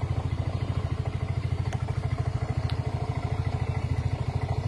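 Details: Yamaha automatic scooter after repairing rat-chewed wiring that had caused a total no-start: an even, steady, low putter about three beats a second with no misses or rattles. Normal idle.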